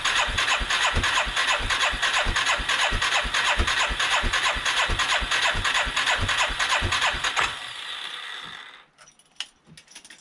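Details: 1989 Yamaha Moto4 350 single-cylinder ATV salvage: steady starter chug, about three compression strokes per second for seven seconds, no firing; fuel smell, earlier misfire and backfire, plug shows no combustion; cranks but no start.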